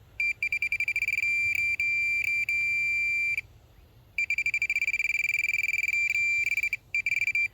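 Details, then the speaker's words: Minelab Pro-Find pinpointer held over a screw: high-pitched beeping in quick, stuttering intermittent bursts rather than a constant tone, signalling a ferrous target; non-ferrous targets such as a gold ring give a continuous tone. "you can hear it makes a very much intermittent beeping sound it's not a constant so what is telling us is that this screw here is ferrous material"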